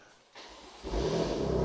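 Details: BMW M2 Clubsport after engine rebuild and reinstall, first start, exhaust fitted; engine catches and climbs into clean even rev with no misses, knocks or rattles; normal revving.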